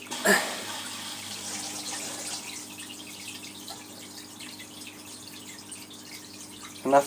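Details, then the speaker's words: All Pond Solutions external filter: low pump hum with watery splashing and gurgling from trapped air bubbling out through the spray bar as the filter is shaken. "shake and you'll see all the bubbles coming out of there this tube and they'll come out your spray bar okay so I can just about a bit more splashing"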